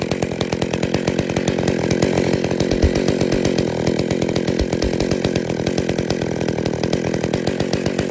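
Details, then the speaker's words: Two-stroke chainsaw, idle screw turned in while reading a tachometer: the centrifugal clutch starts to engage at about 2500 rpm, the normal idle speed, instead of about 3500 rpm. Rapid, even popping as the chain begins to drive; clutch engaging too early. "so in fact actually it's basically just started to engage at two and a half thousand which is where it should be idling where the idle should be set"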